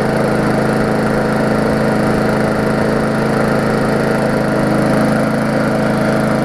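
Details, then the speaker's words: Murray 3.5hp Classic push mower after extensive service, first test run: steady, even small-engine drone at constant speed, no misses or knocks; smoke clearing, only a little oil in the muffler; running smoothly. "and it's starting to clear up now that's good it's a little bit of oil the muffler is all it was"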